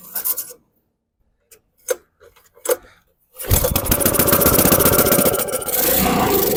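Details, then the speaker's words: Transfer pump with Briggs & Stratton 6.5 HP engine, after fuel line work, before carburetor removal: a few failed pulls, then catches and runs fairly steady but slightly lumpy, only on choke; suspected faulty bottom jet in carburetor, not confirmed. "See, there's something wrong with that bottom, that jet on the bottom. It only runs on choke."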